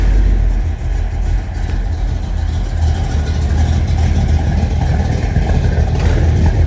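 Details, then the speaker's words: 1976 Chevrolet K20 squarebody 4x4 with a small-block V8, Edelbrock carburettor, flanged headers and a big distributor, fired up under the hood: a deep, even burble with a steady lope and smooth light revs, no knocks or misses, a normal healthy idle. "and I'll fire it up so you can hear it. It sounds really good."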